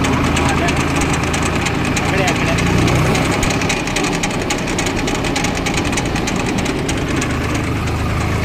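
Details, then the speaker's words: Swaraj 735 tractor in second gear with a rough, rattling grind from the right-side brake drum, louder under brick load, disappearing when the brake is touched and returning on release; worn bearing suspected, brake drum and bull pinion bearing replaced. "Break touch చేస్తే పోయింది break వదిలి పెడితే వస్తుంది."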